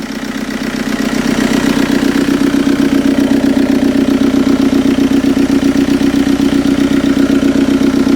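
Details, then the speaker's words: TDI diesel swapped into a Toyota pickup, first start after redoing the head gasket and priming the injectors: even, steady diesel clatter at idle, about four beats a second, with no misses or knocks; normal idle. "So let's crank it up, see what we got, see if she runs. Running good."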